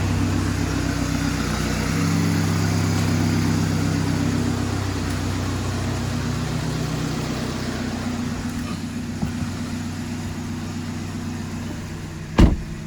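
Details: 2014 VW Passat TDI after a thermostat housing O-ring replacement fixed a coolant leak, refilled and just started: a steady, low diesel clatter settles into an even idle with no misses or knocks, running normally with no leaks.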